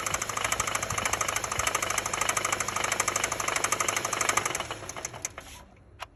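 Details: Suzuki SJ engine: sharp metallic knocking, about three per second, over the running engine until shutdown. Clear knock, cause unknown.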